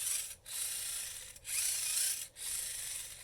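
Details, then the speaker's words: VEX Robotics 393 motor geared for turbo, turned slowly by hand: dry rasping, snoring scrape with clicking as the gears index; the output gear bushing is missing and the gear rubs the case. "it almost sounds like it's snoring it's making so much excessive noise i don't know if you can hear that it's actually indexing as it goes"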